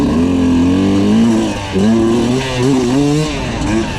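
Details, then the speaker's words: Brand-new 2022 Sherco 300 SE Factory two-stroke, carbureted, first trail ride: soft, blubbery, uneven note as throttle changes; rider feels carburetor jetting running rich, others agree. "it's definitely feeling a little bit rich here you know the circle guys dm me cody webb mentioned in the comment on instagram that it's definitely rich"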